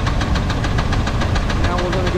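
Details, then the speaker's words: Small block Chevy V8: sharp, even knocking about eight times a second over the rumble, louder with rpm, most pronounced at the oil pan when heard through a broom handle; rod knock. "all right so what we have here is a small block Chevy and the knock's pretty pronounced you can hear it it actually will follow up with engine RPM so as we increase the RPM the knock's going to get louder and more for out"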